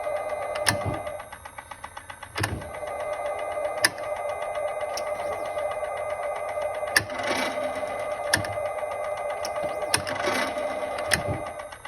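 Sharp, dry clicks about once every second or so, over a steady electric hum from the drivetrain. Cause suspected, not confirmed.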